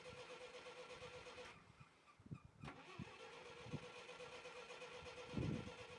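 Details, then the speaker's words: Lull forklift with industrial Dodge slant six and old Holley carburetor, just retrieved after years sitting, with bad treated gas: fires up low and uneven with irregular puffs and a stumble; rough idle, carburetor needs rebuild. "This thing's got quite a few leaks in it. The foot brake does not work. And it needs a carburetor really bad."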